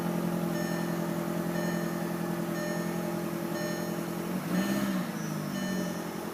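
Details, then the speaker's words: 2003 VW GTI after charging a battery drained by lights left on: quiet, even idle hum with a steady low tone and no misfire or stumble; running normally. "everything looks good so I would say just the problem was is leaving a lights on"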